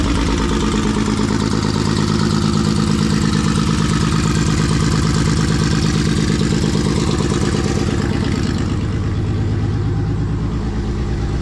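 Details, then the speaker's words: Nissan RB engine, newly built, on first start: a steady idle with an uneven, lumpy beat about three times a second; running on five cylinders, and pulling injector plugs showed cylinder five not firing. "So, I don't know if you can hear it, but it's actually only running on five cylinders. Um so, I pulled each injector plug off. Found it was cylinder five not firing."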